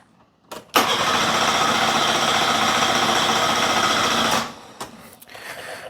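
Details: Car on boost, never likes starting first time: starter spins the engine steadily nearly four seconds with no firing, then quits; fuel pump not heard at all, suspected dead, since it runs on something else but not its own fuel.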